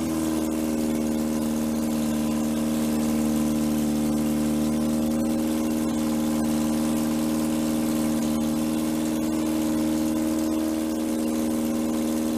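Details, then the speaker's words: 1947 MG TC XPAG four-cylinder on an engine stand, first run in about 40 years, about 50 psi oil pressure, leaking fuel line and no coolant yet: steady, even hum without stumbles but idling noticeably high. "we'll have put some uh water to it fix the fuel line and uh seems to be idling a little bit on the high side maybe we can work that out"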